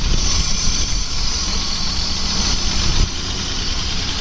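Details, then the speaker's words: Plow truck petrol engine idling rough and stumbling with a steady airy hiss that changes pitch; owner suspects a cracked vacuum hose near the MAP/intake sensor; vacuum leak hiss with rough idle. "um air intake valve sensor whatever you hear it hissing these hoses get cracked over time and it run like [ __ ] you can hear the pitch of that change I'm betting there's a crack underneath here somewhere if I can find it I'll tape it up it's definitely got a vacuum"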